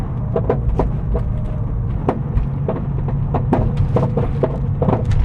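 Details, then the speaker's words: Porsche 911 (996) driving with irregular dull knocks and thumps over a steady road rumble. The AA breakdown technician suspects the anti-roll bar has shifted and catches the subframe or suspension arm over bumps; not confirmed. "And so I pulled over, called the AA, they came and checked it out, got it up on a jack, had a look underneath, and the man reckoned there might be a problem with my anti-roll bar. But he thinks that it might have moved slightly, and so when I go over a bump, it catches on part of the subframe or the suspension arm."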